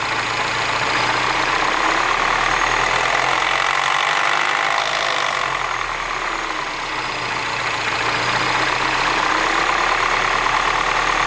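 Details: R56 Mini Cooper S, cold morning start: cold idle carries an uneven ticking rattle roughly three per second over the engine hum; abnormal cold-start noise, cause not identified.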